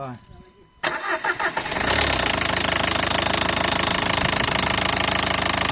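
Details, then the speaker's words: 2012 Nissan Qashqai 1.5 dCi diesel, knock began suddenly at a morning start, injector return flow equal: cranks, catches and idles with a hard regular knock about four times a second over the clatter. "значит проблема такая получилась что раздается стук в двигателе Он начался как хозяин говорит внезапно утром завел и начался стук"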